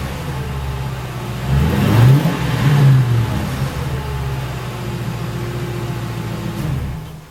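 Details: 2006 Ford Crown Victoria P-71 V8 with stock mufflers, before muffler modification, parked, heard from behind: deep muffled blips twice then settles to low smooth burble; normal quiet factory exhaust note.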